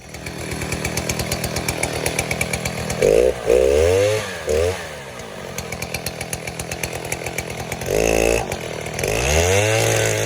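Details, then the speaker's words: 070 clone chainsaw with 42-inch solid bar and chain, first use, cutting white oak firewood: screams at high revs, drops and bogs briefly as the bar bites, then pulls back up cleanly; strong, healthy cut. "um the fact that you can purchase this saw for 265 dollars shipped with a 42 inch bar a solid bar and and a chain is ridiculous um it's screaming screaming deal um especially when it cuts like this"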